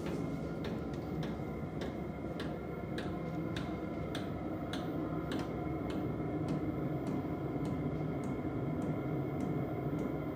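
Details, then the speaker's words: Heater dosing pump on a 12 V regulated supply, pump lying on its side, heater running hot: steady light ticks about twice a second over a low fan hum. This is normal pump ticking, and it is quieter when the pump stands upright. "Let me just give you a little demonstration on the ticking of the pump because these pumps are really quiet."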